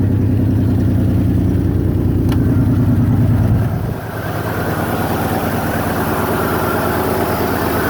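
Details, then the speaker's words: 1997 Toyota 4Runner SR5 V6, 210K miles, blown head gasket, cold start at idle with check engine light on: rhythmic puffing tick, first thought to be a header leak, actually exhaust escaping where the oxygen sensor hangs loose from its hole. "You can hear that exhaust leak. Sounds like it's coming from a header down here."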